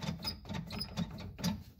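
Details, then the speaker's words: 4WD vehicle on jack stands with four-wheel drive not engaging, front prop shaft from rear transmission to front turned by hand: repeated high chirping squeaks with light clicks. Driveline squeak, exact source undetermined. "there's the prop shaft what drives from the rear transmission to the front despite being a mouse house it's not supposed to sound like Fievel is in there"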